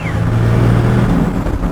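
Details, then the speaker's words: Stock Toyota 1HD-FTE turbo diesel in a Land Cruiser, driving under load. A faint high whistle slides down over a steady engine pull. Normal turbo whistle. "oh listen to that whistle"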